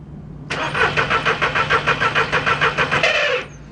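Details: 2002 VW Polo 1.2 three-cylinder AZQ petrol: starter cranks steadily about three turns a second for three seconds without firing, test light on coil feed stays lit but no spark; non-start.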